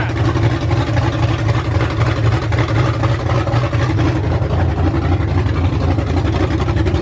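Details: Ford F100 V8 with new aluminum heads, first start on open headers without a cooling system: loud deep even rumble at steady fast idle, no ticking or knocking, everything sounded really good.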